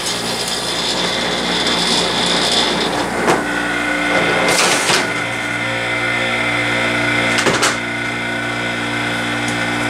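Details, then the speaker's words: Airtemp CIV08S2AC 7,600 BTU casement air conditioner just after compressor switch-on: steady smooth compressor hum with faint refrigerant hiss under some handling clatter; it has a good charge and is already ice cold. Normal compressor running. "Alright, we've got a good charge. I can hear that gas going through there now."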